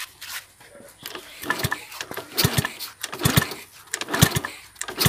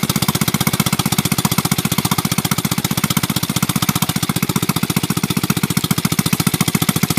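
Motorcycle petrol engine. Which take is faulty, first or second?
first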